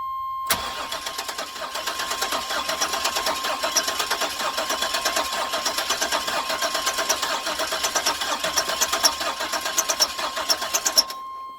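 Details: 1999 Chevy Express 2500 WT van, distributor previously disassembled, fresh battery: steady starter cranking about one beat per second for ten seconds, engine turns over but never catches; crank, no start, non-fuel cause suspected.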